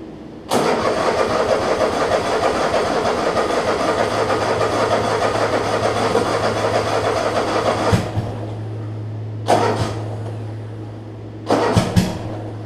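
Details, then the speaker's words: Troy Bilt Mustang 50-inch zero turn mower whose muffler fell off: twin starts and settles into a harsh, loud, raspy unmuffled idle; loud exhaust from detached muffler. "so while I'm here let's Crank It Up see how loud it is like I said these mowers for some reason are loud regardless"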